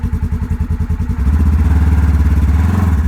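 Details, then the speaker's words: Polaris General XP4, 500 miles, after replacing exploded CVT belt: pulsing low engine beat firming as clutch engages at low rpm, no belt slap unlike before repair; healthy engagement, new belt needs break-in. "Right now you hear nothing, which is different than before because I was getting a small amount of belt slap."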